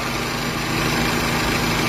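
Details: 1996 Toyota Corona automatic: steady, even idle with a smooth low hum and no knocks, misses or rattles; the engine sounds healthy at rest.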